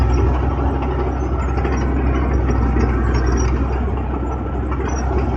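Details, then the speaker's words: Late-1980s Cat 943 track loader diesel at full throttle going downhill, deep steady roar with no bogging or stumble. "As you can hear, no bogging down. Can't turn around with it being out without full throttle too."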